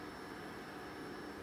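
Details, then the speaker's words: 2010 Ford F-150 towed in for stalling and crank-no-start (codes P025A, P0690, U0109; fuse 27 overheating suspected): in-tank fuel pump running with a steady, even whir and faint whine, drawing about 9.3 A; normal, smooth operation. "so as you can hear the fuel pump is running in the tank and sounds nice and smooth"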